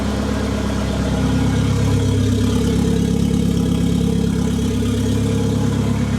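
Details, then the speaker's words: The "200" with muffler removed, warming up from cold idle: loud open-exhaust idle, uneven stumbling beat about three pulses a second. Rough idle misfire; owner says it acts fuel-starved though the reading sits at 38, cause not pinned down. "like what are you doing right now I would swear it's running out of fuel but it's sitting at 38p a die"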